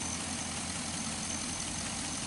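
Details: 2005 Chevy Envoy, idling after the serpentine belt and pulleys were replaced over an earlier pulley noise: quiet, even idle with a light steady hiss, no chirp, squeal or rattle from the belts; healthy.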